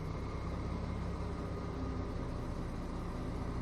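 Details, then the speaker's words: Kia K9, engine bay at idle with A/C switched on: steady heavy drone with a loud low hum that appears only when the A/C runs and stops when it is turned off; cause unknown, owner plans dealer check. "이게 에어컨을 키면 은 소리가 발생 하더라구요"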